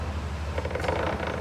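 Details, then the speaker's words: Front differential turned by hand in two-wheel drive: short bursts of clicking and creaking over a low hum as the yoke and shaft hop around; something suspected loose or wedged inside, unconfirmed. "stills making a noise you can also still see that this little shaft here you can kind of see it right in get the finger in there right in here kind of watch it to bounce it around"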